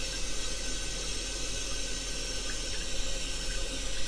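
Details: Toilet after a temporary zip-tie repair of a deteriorated Korky flapper, water level set too high: steady rushing hiss refilling the tank with no gurgle or surging; normal refill after the flush.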